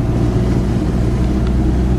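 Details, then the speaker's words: Nissan 240SX, warm, steady driving after fixing large exhaust leaks: a low, even drone with no raspy puffing or ticking. The exhaust now sounds sealed and stock-quiet instead of raspy. "Guys, this is so weird. I've never heard this car so quiet."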